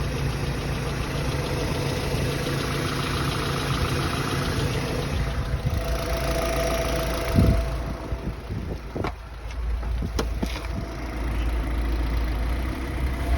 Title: 2008 NC miata knocking noise